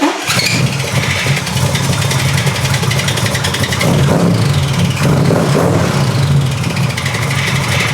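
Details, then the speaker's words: 1975 Corvette: engine runs but harsh grinding rasp persists over idle; starter stuck engaged on flywheel, later cured with two 1/16in shims under each starter bolt. "Why is the starter contacting the flywheel still?"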